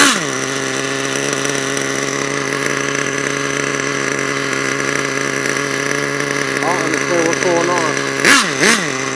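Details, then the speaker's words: HPI Savage nitro truck, HPI 4.1 engine: steady high buzzing rev then sharp blips while the truck does not drive; owner suspects a gear problem, not confirmed. "on oh my God well I think that's the gear the gear made up feel it man"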